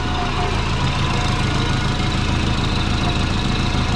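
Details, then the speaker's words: Twin-turbo Subaru with a GT35 turbo at idle: a quick puffing chuff rides on the low exhaust note. Exhaust leak suspected down near the turbo inlet; owner suspects a flange isn't flat, not confirmed. "i can hear a chuffing going on everyone on the flank maybe one of the flanges isn't flat i hope not"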